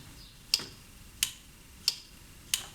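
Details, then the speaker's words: Cagiva 750 Elefant motorcycle with custom ignition-relay wiring, ignition on: four crisp clicks about 0.65 s apart as the relay switches on and off when the stop switch is toggled. Clean, normal operation. "Then I can turn on the ignition. Not sure if you can hear it, but this relay is now turning on and off when I'm turning for instance, the stop switch."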